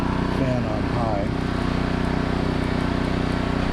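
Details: New 2200 W generator in eco mode running a 5000 BTU air conditioner: steady, even engine drone with a low hum and no surging. Running normally under load.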